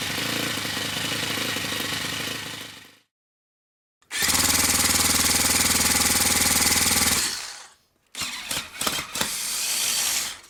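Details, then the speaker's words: Old OS FS60 10cc four-stroke model glow engine before its worn main bearings were replaced: harsh, rattly high buzz in short runs with dropouts, coarse and rough; worn main bearings. "to conclude this episode this is how the engine sounded before change the main"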